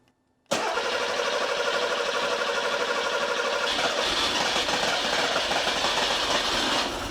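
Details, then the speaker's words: Porsche 911 Carrera 3.2L on an engine test stand after sitting a while, first start with six working injectors reinstalled: cranks and catches at once, then settles to an even idle; fuel pressure about 2.1, oil about 120 degrees; runs healthy. "yeah it's running great awesome"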